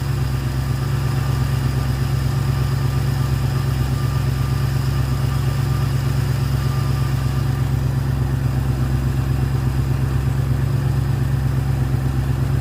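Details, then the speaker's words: Ford Fairlane with a newly installed Holley 500 cfm carburetor, manual choke and readjusted linkage, warming up at about 1300 rpm: a steady, even low rumble with no misses or knocks. Normal fast idle. "I'm going to let it warm up a bit and then I'll probably turn the idle down a twitch. It's at about 1300. Sounds good."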